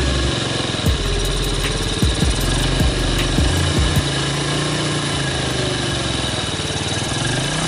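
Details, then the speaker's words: 2006 Yamaha Vega R New single-cylinder engine idling smoothly after engine teardown and repair; before, it sounded harsh with noise from the clutch-wall area and a hard, sticking kick-starter. Now steady, even idle with light top-end clicks, no knock; normal idle. "Oke teman-teman untuk di Yamaha Vega ini udah kelar dan udah hidup dan mesinnya juga udah halus"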